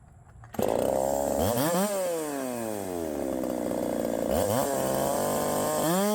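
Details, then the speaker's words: 372XP clone chainsaw, flywheel key removed, timing backed off from one full key of advance: screams through repeated rev sweeps with a rough popping edge at the top; ignition timing still slightly over-advanced. "so okay I still have a little bit too much timing in there you still hear it popping"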